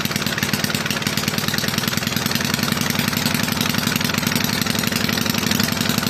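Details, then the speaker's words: Toro mower model 18805 single-cylinder engine, reassembled with cleaned, repaired carburetor and new parts after sitting for years, running two-cycle fuel: fast, steady putter at a constant speed with no misses; engine running normally. "So, um it has sat for a long time. Um but anyway, yeah, it it runs."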